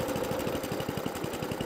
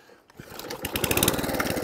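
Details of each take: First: Atco Balmoral cylinder lawnmower on the bench during a service; the small engine keeps a steady rapid putter and won't shut off because the throttle cutoff is misadjusted. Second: 2003 Atco Balmoral 14 SE cylinder lawnmower with electric start and Tecumseh engine, after service and idle adjustment: catches quickly, settles into an even chuffing idle about four beats a second, revs and shuts off normally.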